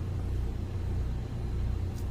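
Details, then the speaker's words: Fischer Panda diesel generator on a Pursuit 355 OS boat, after repair of faulty cylinder-head temperature reading (now 159°), running about an hour under roughly 25 A load: steady, even drone, good voltage and hertz. "we got good voltage across the board, our hertz are good, got everything on right now. We've got about 25 amps pulling between both legs. So this generator's ready to go."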